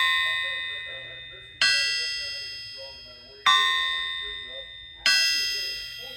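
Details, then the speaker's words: Crank, Bryant or Winberg, from a motor sold as a small-inch alcohol engine that proved to be an old fuel motor: about three light taps on the snout, each a slightly lower but clear, long ring. Sound, uncracked crank. "A little lower tone, but still a nice ring. Yeah, I mean, listen to that, just hitting the snout lightly."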